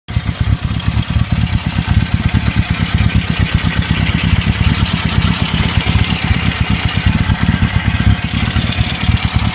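Loud, choppy idle with heavy pulsing low thumps, then revving; a knock seems buried in the firing pulses, cause unknown.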